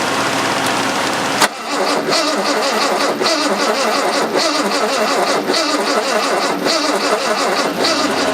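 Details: 1970 Jaguar E-type coupe, sitting about four and a half years, first start attempt: starter spins the engine in a slow, steady rhythm for several seconds but it never fires; no start. Weak ignition suspected, not confirmed.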